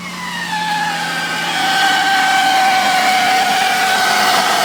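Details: Jeep WJ Overland: loud, high, steady squeal over the idling engine, pitch dipping slightly then holding; screeching noise at idle, source not found.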